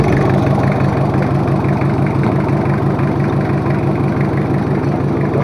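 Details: Rebuilt Toyota Kijang 2L diesel, overhauled for low compression and an abnormal noise, idling during running-in: an even, regular clatter at about three beats a second with no misses or knocks; a healthy engine.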